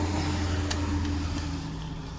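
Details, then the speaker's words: 1993 Subaru Legacy wagon with 293,000 miles and a worn-out clutch, running: a steady low engine drone with a firm rumble and faint tone on top, noticeably loud at idle, cause not stated. "it's a 1993 Subaru Legacy station wagon um it's a little loud what you'll hear here shortly I'm gonna fire her up"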